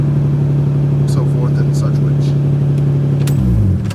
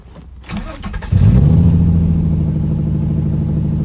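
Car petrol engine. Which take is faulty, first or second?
second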